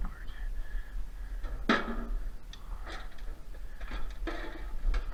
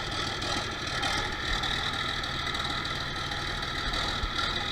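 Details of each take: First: 1966 John Deere 4020 diesel tractor with newly installed injection pump, injectors bled and fuel reaching all of them: starter cranks in uneven bursts but it never catches. Pump timing found 180 degrees out at the TDC mark. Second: 1966 John Deere 4020 diesel whose RPM fluctuated under load, first start after installing a new injection pump and bleeding lines with ether: steady diesel clatter at idle, even rattle, no stumbling or misfires.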